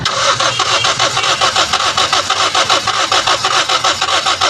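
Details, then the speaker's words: Toyota Vios that died while driving, fuel pump assembly already replaced once without fixing it: starter churns steadily but the engine never fires, as no fuel pressure builds in the lines; fuel pump assembly to be replaced again. "So dito ay nag-decide na ako na papalitan natin yung fuel pump assembly dahil kita naman natin na wala siyang pressure na nabubuo doon sa kanyang fuel lines. Kaya yun yung cause kung bakit ayaw niyang umandar."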